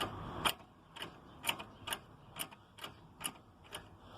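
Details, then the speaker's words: JAC J3, noise when pulling away, previously misdiagnosed as a stabilizer link: sharp metallic clacks about twice a second as the axle is rocked, from play in the worn tripod joint inside the CV housing, which is being replaced. "tá vendo ó ó e essa pancadinha que dá por conta da folga da trizeta ali ó"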